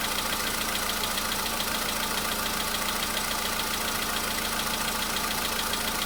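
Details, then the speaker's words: VW Polo Sedan cold start after an oil change and flush oil, with a light, regular knock of about two beats per second over the idle; the knock was absent the day before and is less than earlier. "Чуть-чуть есть, совсем мало. Нет, есть, конечно. Так вот есть, постукивает."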